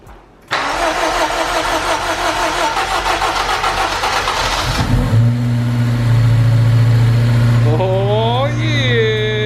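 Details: Honda Civic Type R, sat on a farm for over a year: it catches after a short crank and runs harsh, uneven and raspy from the exhaust, smoking and smelling of fuel; rough running after storage, cause unconfirmed.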